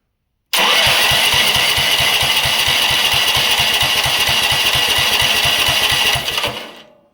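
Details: Riding mower engine first start after new carburetor fitted, fuel primed, borrowed battery: catches at once, settles into steady fast chuffing about three beats a second, then winds down; normal start.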